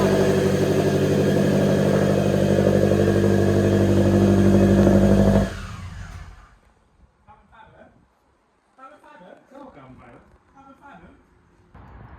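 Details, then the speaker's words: Supercharged automatic Scion FR-S after dropped rocker arm and broken valve cover repair, engine reinstalled, piping partly unhooked, brief run; loud steady idle with no ticking or knocking; healthy. "So she's very loud, but I couldn't really hear any noises."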